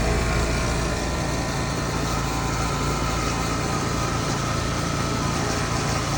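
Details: Outdoor AC unit after replacing a failed contactor that caused buzzing: compressor and fan give a steady, even hum with no chatter or buzzing; running normally and quiet.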